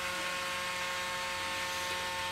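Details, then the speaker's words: Braun Series 8 cleaning station after pressing the power button again: an even, continuous buzzing pump squirting cleaning fluid onto the shaver, a normal rinse cycle. "I had to push the power button again so you can hear it squirting the fluid up on there"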